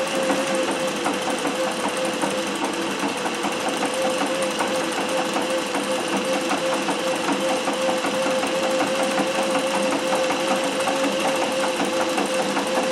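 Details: Singer 411G on a treadle with a custom heavy balance wheel, sewing built-in decorative stitches such as the pyramid stitch. Steady, even needle ticking at about two to three stitches per second with no knocks or binding; normal running.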